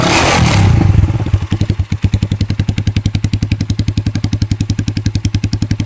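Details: Kikker 200cc motorcycle at 146 miles, revived after tank and carb cleaning: engine revs then idles with a loud, rapid metallic rattle on every firing pulse; cause unknown to owner.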